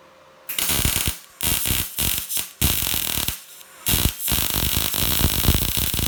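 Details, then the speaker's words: Telwin Synergy 210 MIG welder set for 2.5 mm on 2 mm steel: bursts of harsh, spitting crackle in short runs instead of a smooth sizzle; welds look fairly clean but settings are off, wire speed too high. "ça crie ça te force à crépy beaucoup donc donc il ya quand même un petit problème de réglages ça crépite es"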